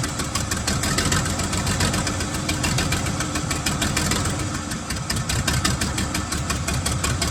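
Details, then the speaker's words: 1975 White 2-150 tractor, diesel, first run after about 19 years dormant, before a muffler was fitted: loud, rapid, even firing with a raw exhaust bark and a steady idle; running smoothly. "well what a fantastic result to see this engine running after about 19 years laying dormant"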